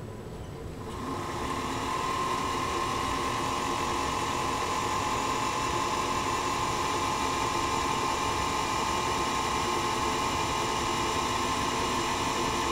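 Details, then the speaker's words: Singer Featherweight 221 motor after repair from wrong-lubricant damage, which had ground metal to metal: now run with no load beyond the belt to the balance wheel, not turning the needle shaft; smooth, steady high-pitched hum, spinning freely and healthy. "now with no load and even coming over the balance wheel with a belt so I guess technically there's some modest load on the machine but it's not turning the shaft that goes to the needle"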